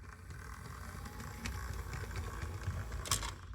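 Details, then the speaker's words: Vintage Bachmann HO DC Santa Fe locomotive running slowly on track: light whirring gear drive with a faint repeating thump and occasional ticks each wheel turn. Split axle gear. "this one has a split gear and this one has no Traction Tire well how do you know that that has a split gear this one if I put this on the track you're going to hear a thumping sound you can probably hear at lower speeds"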